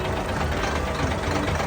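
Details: Steady diesel idle with an even clatter and no sharp knocking; the engine is idling normally.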